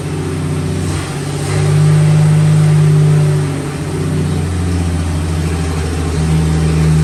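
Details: 1954 Fargo half-ton flathead six, first run after piston ring install and valve adjustment: even low drone swells when revved and settles back, smooth, no knocks or rattles. Carb float was overflowing; some smoke from manifold oil.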